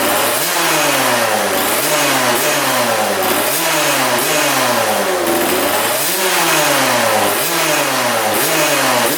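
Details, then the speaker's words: 1999 Suzuki RM80 two-stroke dirt bike that backfired through carb and pipe, air screw at 1.5 turns, owner suspected sheared flywheel key: crisp revs rising and falling cleanly about each second, no popping or stumble; now running healthy. "w well that sounds a lot better"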